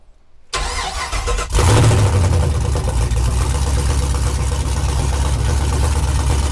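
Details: 1969 Chevy C10, first start after engine install and fuel priming: a short crank, then the engine catches with a deep bark and settles into a steady, even idle; a healthy first start.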